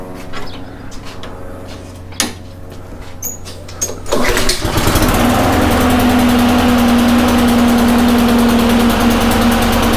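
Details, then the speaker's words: Honda lawn mower after carburetor cleaning and new gasket to fix surging (flywheel key checked, not broken; suspected water or debris in carb): after pull and choke chugs, settles into steady even hum, no surging. "but yeah seems to be working pretty good now"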